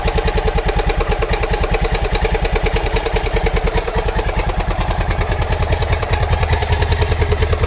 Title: Honda dominator nx650, 45.000km, 1999, bad and loud clacking engine sound problem.